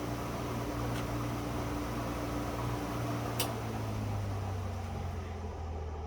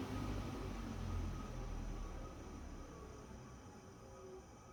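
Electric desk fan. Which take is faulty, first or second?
first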